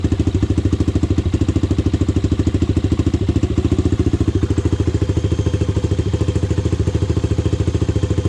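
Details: Honda 400EX single, first start after rebuild and idle-screw adjustment: steady idle at about three pulses a second, clean, with no knocking or valve clatter. The owner says the carburetor still needs work.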